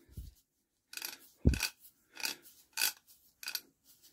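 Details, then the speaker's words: Barford Atom axle hub ratchet, found bone dry with no grease, after spraying WD-40; crisp metallic clicks about every half second, each catching cleanly, ratchet engaging every time, normal ratchet operation. "listen listen hear that it's working every time now that grease"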